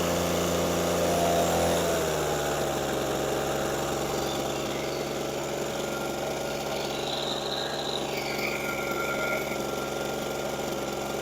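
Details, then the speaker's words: Echo PB413H two-stroke backpack blower that wouldn't start, just started on a new aftermarket Chinese carburetor, choke on, about half throttle; fast buzzing idle whose pitch drops and wavers after two seconds; running before carburetor adjustment. "All right, she's running. I'm going to get a flat screwdriver so I can do the adjustment, because you usually have to adjust these."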